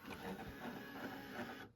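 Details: NA Mazda Miata OEM Panasonic cassette stereo on the bench during repair: short whir of small gears and motor for about a second and a half as the tape ejects, then stops; normal cassette eject.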